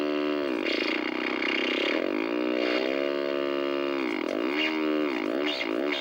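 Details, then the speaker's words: 1964 Sony 9-304U portable solid-state TV with raster but no video: a loud warbling squeal swooping up and down in pitch with no steady note. "boy we got a noise machine here with the vertical and horizontal hold controls"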